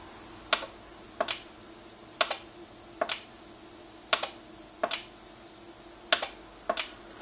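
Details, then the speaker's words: NuTone IMA4406 intercom master station after servicing, on inside patio talk: crisp single relay clicks, one on press and one on release, evenly spaced over a quiet background, so the relays are switching normally. "one click when I push, one click when I release. And same thing on Inside Patio Talk."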